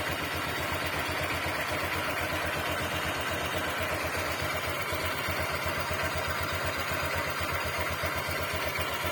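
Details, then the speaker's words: Honda Click 125i FI V3 scooter at very low idle; steady, even putter with a light rattly tapping from the CVT belt side, the belt flapping at low idle, considered normal. "So Gan talaga mga bro medyo meron talaga siyang ah makalas sa loob n makina dito lalo dito sa may cbt"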